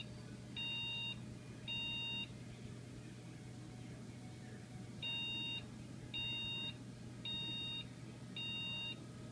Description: Computer won't boot up. Help me diagnose this?